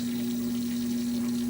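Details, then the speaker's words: GE washer drain pump on its second drain cycle, drain hose attached correctly and not leaking: even, steady pump hum with rushing water, no rattle or strain; pump working, nothing clogged. Normal drain pump operation. "the pump is working, nothing else is clogged."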